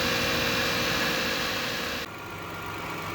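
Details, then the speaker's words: 1999 Lexus ES300 petrol V6 after engine rebuild idles smoothly and evenly, slightly high at just under 1,000 RPM in park, with no ticking or knocking; previous noise gone. "Listen to that, man. She idles nice. No more noise, nothing. Just happy as can be."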